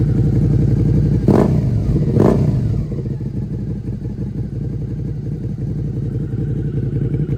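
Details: Rebuilt Suzuki SV650 V-twin, exhaust with dB killer removed: two throttle blips then deep even idle with steady low thump; owner hears little difference versus dB killer fitted, exhaust healthy.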